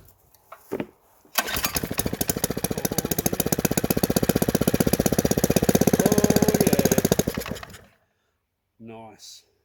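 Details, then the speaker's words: Small single-cylinder petrol engine on a two-inch water pump, sold as non-running; fuel poured into carburetor, throttle wide open, run dry briefly; catches and fires evenly for about six seconds with a crisp steady beat, then dies; running normally. "she's going to be a runner beautiful"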